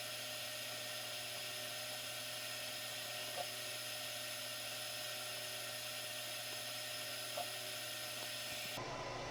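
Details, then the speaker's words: 3D printer enclosure air filter fan, running with the enclosure heated for ABS and the printer at 110C: steady, even, high-pitched whine with no rattles or wobble, then a clean switch-off. It pulls enclosure temperature down. Normal fan running. "so you can see after a couple of minutes of that filter running it's definitely pulling the temperature down so we need to compensate for that when we do our automation"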